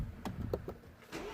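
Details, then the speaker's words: BMW 116i F20 restart on a known-good substitute battery after the original battery wouldn't crank: brisk strong crank firing within about a second into steady run, no dragging; what a good battery sounds like. "Start it. So this is what a good battery should sound like, if you will."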